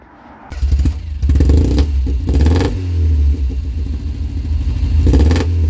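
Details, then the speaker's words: 1990 Ford Fiesta with the rear silencer (back box) removed and a modified air intake, throttle blips: a loud raspy blat that rises and falls sharply, like an angry bumblebee. "sounds like an angry bumblebee sounds like a max power corer be from back in the day"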